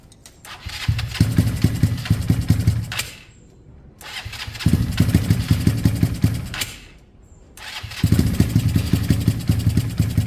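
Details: KSR GRS 125 motorcycle, start attempt with airbox fitted, new spark plug and starting spray: three short bursts of lumpy, uneven firing, each dying after a few seconds, won't rev. Owner suspects top end, possibly skipped timing tooth or misadjusted valves; unconfirmed.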